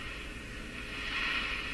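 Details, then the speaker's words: Northern Electric Model 8508 tube radio with the set switched off: fizzing hiss continues and swells slightly; owner suspects arcing in the failing power switch, cleaner sprayed around it. "Yeah, I think the switch is in big trouble here. I think it's in big trouble."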